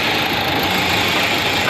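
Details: Renault Duster 110PS diesel idling with a sharp, clattery tak-tak, tractor-like knocking from the front of the engine and no check engine light. Traced to the injector; problem solved.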